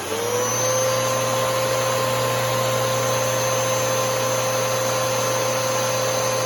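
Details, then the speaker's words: Newer Bissell Powerforce Helix 3313 vacuum motor: a steady, even hum with a constant mid-pitched whine, no rattles or surging. It has a higher tone but lower pitch than the older 2191; normal running. "the motor to me on the Bissell Power Force Helix 3333 is it has like a higher tone but a lower pitch at the same time"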